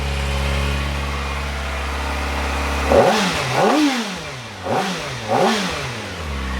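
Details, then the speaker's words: Kawasaki Ninja ZX-4RR, warm, on stock OEM exhaust before titanium swap: quiet smooth idle then four quick clean blips with faint overrun pops, restricted-sounding; healthy. "It has a little pops. That's pretty sick. It feels really restricted and it's quiet. So yeah, that's how it sounds like all stock."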